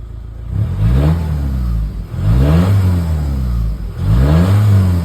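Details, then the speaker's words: VW Touran Mk1 2.0 TDI BKD PD140 with a new turbo and a swapped tandem pump, which would not rev past a limp-mode-like limit: with the turbo actuator vacuum line pulled, the actuator opens and it revs freely in three clean sweeps; a vacuum issue is suspected. "You hear the engine change straight away. I'm assuming that's the actuator's moved now on the turbo."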